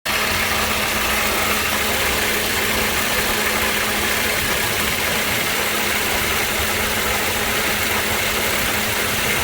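Steady hiss with a constant low hum over the running engine, pointing to noise coming from the AC compressor.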